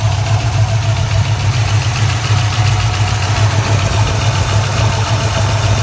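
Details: LS1 V8 idling with a fast light lifter-like tick, recorded before an oil change; the tick vanished after the oil change and hard driving. Owner suspects a stuck lifter filled with debris; the engine later began running rich.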